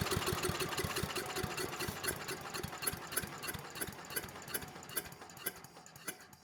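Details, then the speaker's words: 1993 Little Wonder push leaf blower, 5 hp Briggs & Stratton flathead (model 135212-1216-E1), little or no compression: starts unexpectedly but runs poorly, lumpy and weak, never steady; bottom end sounds good, compression blowing out intake, likely an intake problem. "Well, that was kind of surprising. I did not expect the engine to start. You know, didn't run well, but it ran good enough to at least know that the bottom end sounds good."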